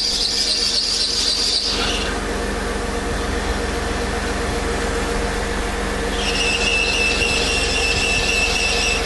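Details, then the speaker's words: Serpentine belt squeal at idle: a high steady squeal quiets when water is sprayed almost anywhere along the belt, confirming a belt problem and pointing to misalignment as the most likely cause rather than tension or a bad pulley. "Spraying pretty much anywhere along the belt quieted the noise down. But again, that does at least verify it is a belt problem, and in the case that the noise went away, a misalignment problem is the most likely cause of that."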